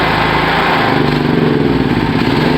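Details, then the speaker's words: Petrol generator converted to run on LPG; opening gas while still on gasoline makes it run on both fuels, too much fuel for the air, so it drones unevenly, labouring and bogging, flooding. "Y van a ver que cuando yo lo abro es como que se va a ahogar, porque está funcionando con gas y nafta al mismo tiempo."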